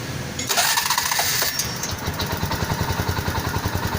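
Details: TVS King, two tests, first with good fuel pump, second with bad fuel pump: cranks, catches, then runs with an uneven stumbling beat of about three pulses a second, fuel starvation from a weak pump.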